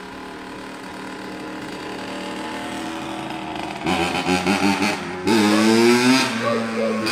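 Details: A 2003 Honda CR85R two-stroke on its first ride after a full motor rebuild, being broken in gently. It gives a crisp buzz that climbs and falls with the throttle as it pulls away on light load, clean and eager. Normal, healthy running.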